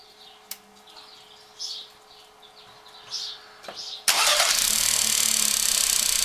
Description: Natürlich handelt es sich nicht - wie damals vom Autohaus behauptet - um eine defekte Hochdruckpumpe, sondern um das Rasseln der Steuerkette, welches bei diversen TSI-Modellen seit geraumer Zeit ein bekanntes Problem darstellt und auch hier in den Kommentaren richtigerweise bereits mehrfach erwähnt wurde.